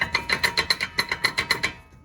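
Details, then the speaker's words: 2009 Chevy Silverado 1500 4x4, 4.8 L, front CV axle worked by hand: sharp metallic clacks about eight per second, then stopping; joint likely broken apart, held only by the boot. "I don't think it's even connected there. I bet it's already broken from that joint in there. The only thing holding it there from it flopping around is the boot."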